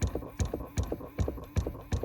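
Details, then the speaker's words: 2018 Chrysler Pacifica with engine off: after power is restored to the HVAC recirculation actuator, a thump and clack repeats about every 0.4 seconds as the vent door flaps behind the dash; faulty recirculation actuator motor, to be replaced. "And once we did that, it basically reactivated or energized the power to the actuator, and you can hear it flapping."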